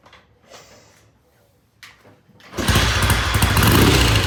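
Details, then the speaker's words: Vintage British motorcycle, reassembled after transmission gear work with ignition timing set and primary not yet oiled: a few quiet seconds, then it catches and settles into a steady, even idle with no knocks. Starts and idles normally. "starts good idle's good I'm going to call it good pending a um test ride which we may do tomorrow"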